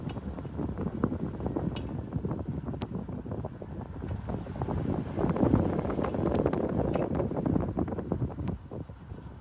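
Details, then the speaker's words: Car at low speed with windows down: irregular light ticking and rattling about three times a second over wind and road noise, speed-related not bump-related, fading at higher speed; owner suspects a broken-off TPMS sensor loose inside the rim. "Like it sounds It sounds like there's something flopping around inside my rim. Is that what a broken off TP S sounds like?"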